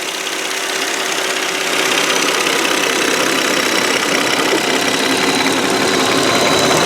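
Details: 2002 Volvo S80 sedan, 2.9L V6 at idle, hood open, not revved: steady even hum with quick light ticking, no knocks or misses; normal idle.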